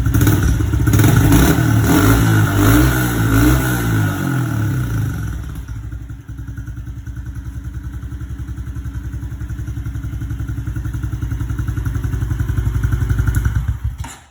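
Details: Honda CRF110 after air box screen removal and RAD intake tube install; revs up strongly for a few seconds, settles to an even putter about 220 beats a minute, then shuts off; healthy.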